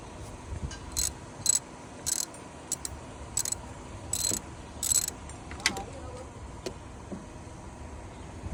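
Quiet engine with irregular sharp high chirps coming in short bursts about once a second; the belt tensioner pulley is worn.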